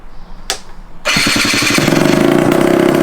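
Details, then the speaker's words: Scooter after new exhaust fitted, first start: kick, then loud raspy crackling idle with sharp popping; big exhaust leak at the header. "That's such a big exhaust leak. Doesn't sound dirty. It's fucking loud. Why does it sound so loud?"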